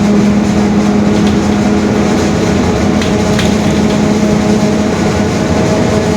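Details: 2021 Marcopolo Torino S stretched bus on a Mercedes-Benz OF-1721 BlueTec 5 chassis, under way; a steady low rear-axle drone with a faint constant-pitch hum over road noise. The differential is growling (differential whine).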